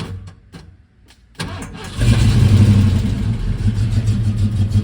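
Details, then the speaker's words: Ford Mustang Fox Body 5.0 automatic, sat in field for years, first crank after a fire: a few slow cranks, catches within seconds, settles into a deep, steady V8 idle; starts fine. "What? This sounds good."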